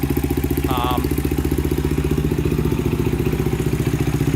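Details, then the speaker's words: 2000 Honda 400EX quad, cheap eBay piston and cylinder, valves in spec, cam chain just tightened: steady single-cylinder idle about four beats a second, only light normal valvetrain tick; normal idle. "you're gonna have a little noise of any engine you have the valves are the valves are perfectly in spec cam chain is tightened and i made sure it wasn't too tight"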